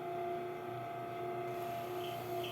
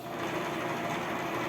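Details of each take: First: Bias-tape cutting machine with a newly fitted belt, running with a steady mid-pitched whine, higher overtone and faint squeaks from lack of lubrication; fixed by dripping oil in while running. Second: Bias-tape cutting machine, previously noisy, after lubrication and a belt replaced the day before: small motor hums at a steady even pitch with no knocking, scraping or labored drag, running normally.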